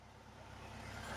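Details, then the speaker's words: 1963 VW Bus air-cooled engine after valve cover, cooling tin and J-tube work and oil change: even, steady putter at 1,000 rpm idle with 15 psi oil pressure, no knocks or misses. "All right, guys. So, we have it at 1,000 RPMs, idle, uh, and the oil pressure is sitting at 15 PSI."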